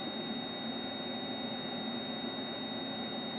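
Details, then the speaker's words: Logic probe on the faulty Moon Patrol arcade CPU board, pin 8 of the LS30 chip at 4E: constant high-pitched tone with no pulsing; the line is held low and never toggles; a logic comparator is planned next. "but i bet that's not toggling either one two three four five six seven eight right that's low"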